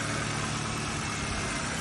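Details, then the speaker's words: 2009 Toyota Camry four-cylinder, high mileage, after replacing the misfiring cylinder-three coil pack: a steady, even, smooth idle with no stumbles. The misfire is gone and the check engine light no longer flashes. "the car is not miscar anymore there are zero check engine lights flashing"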